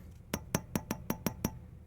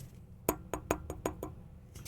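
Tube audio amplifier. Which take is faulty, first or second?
first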